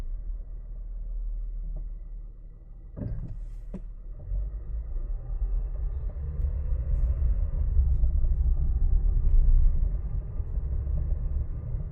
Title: 2026 Honda Passport TrailSport Elite Clunking Noise Heard from the Front Suspension.